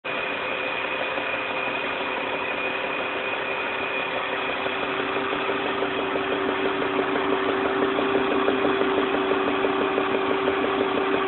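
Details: 1999 BMW 323i petrol engine idling with a steady regular knock of about three beats a second over the hum; engine knocking at idle.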